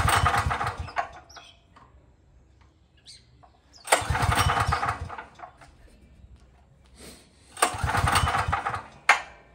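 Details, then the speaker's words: Craftsman 5000-watt generator, cold start with recoil pulls: three pulls about four seconds apart, short bursts of cranking with no firing; won't catch because the engine switch was left off. "What could have been screamed at me is I didn't have the engine switch on, which is there."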